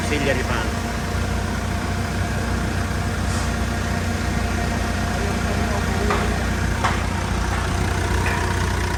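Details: 2012 Mitsubishi Montero Sport after A/C cleaning and auxiliary fan replacement: steady idle with an even fan whir and the A/C compressor clicking in; system sounds healthy.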